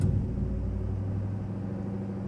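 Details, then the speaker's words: High idle right after startup on a $900 truck recently fitted with long-tube headers, believed to be running rich with poor fuel mileage and recent smoking; steady fast hum that never drops to a low idle, unlike before. "Ooh, high idle. Never seen that before. That's new. I don't think it's ever done that. I think it's always just kind of idled low."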